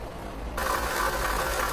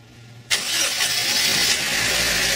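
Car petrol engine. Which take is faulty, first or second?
first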